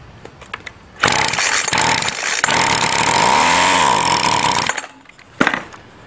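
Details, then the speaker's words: Two-stroke weedeater string trimmer with newly replaced fuel line, given a tiny shot of gas to test the motor: a pull, then a raspy high buzz for about four seconds that sags and cuts out; starts and dies, motor is good. "yep motor is good so i can take a chance and just put the gas in the tank keep priming the squeezy bulb and hopefully it runs"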